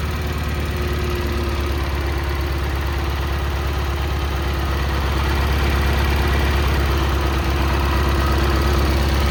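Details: Cub Cadet Cyclops garden tractor Kohler 18 twin after repair of a badly blown head gasket (head replaced), started via M18 battery pack wired to the starter: smooth, even idle with steady low thump, no misses or knocks; running healthy.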